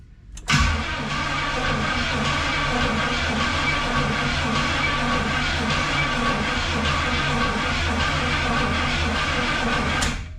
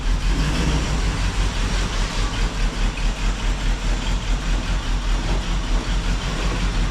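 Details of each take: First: 1976 Pontiac Firebird Esprit 350 V8 first start attempt after reseal, months unused, fresh 10W30 oil, quarter tank fuel, 12 V: starter clinks in, then steady even cranking drone about nine seconds, no scraping or knocking; turns over freely. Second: 1976 Pontiac Firebird Esprit 350 V8 idling after reseal, warming up: lumpy idle with rhythmic puffing tick about twice a second; exhaust leak, owner suspects the diaphragm, pulloff valve or EGR valve is bad; not yet investigated.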